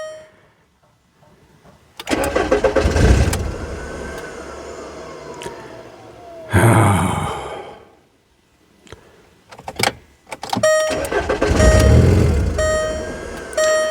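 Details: 2002 VW Beetle with start/stall fault, instrument cluster just reinstalled after repair, security light flashing: engine cranks and catches for a second or two then dies, twice, as the immobilizer cuts fuel before codes are cleared.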